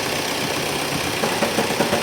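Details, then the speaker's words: 2019 Mahindra XUV300 diesel, 123,000 km, owner reports noise on start-up: idle with a loose, irregular fluttering rattle from the gearbox end, suspected worn flywheel with excess play; gearbox to be removed for clutch work. "Gear box किनारे से फड़फड़ाना फड़फड़ाहट एक आवाज़ आ रहा। वह यह कैसी आवाज़ है?"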